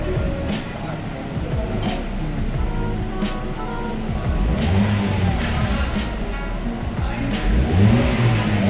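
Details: Toyota Agya GR Sport petrol after the injector, spark plugs and coils are refitted: throttle blips pick up cleanly and spontaneously, and the earlier hesitation, delayed pickup and misfire are gone, so it runs normally.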